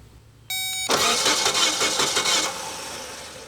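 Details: 1980 Triumph TR8, start circuit energised with a Power Probe through a steering-column connector: a short beep, then brisk, even cranking at nearly three turns a second that fades smoothly; the starting circuit works.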